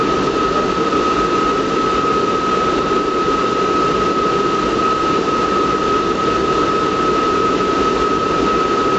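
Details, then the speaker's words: Riello RS38 forced-air gas burner running at first stage, minimum rate, during power setup: steady, even roar with a constant thin whistle, no pulsing or surging. Normal burner operation. "bien et ouverture deélectrovale qu' ont défaut c'est normal il y a pas de problème là je vol est démarrer je suis en Première allure alure mini"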